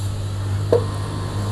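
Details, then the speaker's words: Rebuilt Panasonic dynamo motor on test, drawing 0.7 A and staying cool: smooth, steady low hum with one faint tick partway, no grinding or rattle; normal motor run. "Halus banget teman-teman ya. Suara begitu. Ih wes halus banget lah pokoknya."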